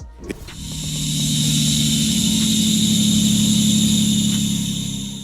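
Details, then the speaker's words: Engine starts and settles into a loud, steady high squeal over the idle with music underneath; squeal at start-up usually indicates a worn or loose serpentine belt; suspected, not confirmed. "10. Squealing when you start the engine. If your car squeals loudly right when you start it,"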